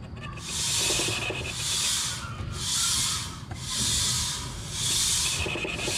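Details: Out-of-round Crosswind M/T tire on a 22-inch 10-lug dually wheel being shaved to fix highway vibration: a harsh rasping scrape in bursts about once a second where the high spot touches the blade. Finding: out-of-round tire (high spot rub).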